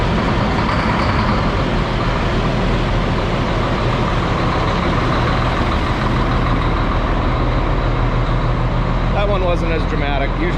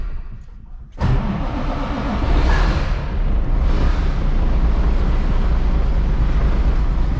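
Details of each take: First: Cat C10 diesel truck, cold start on a cool day: deep steady diesel clatter settling to an even, loud, solid idle with clean rhythm; normal diesel cold start. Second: 855 diesel, hard to start, cranking many times, given a bump of ether: catches after a moment and settles into a rough, loud low rumble; hard starting possibly from sitting so long.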